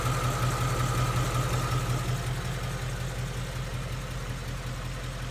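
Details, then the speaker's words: 2016 Ford Mustang GT 5.0 Coyote V8, about 10,000 miles, warmed to normal temperature, heard from the other side: smooth, even idle with faint normal valvetrain patter, no ticking; healthy. "See how smooth and sounding the engine is? No barbecue ticks. No infamous 5.0 Coyote ticks. All I hear is just valve train noises."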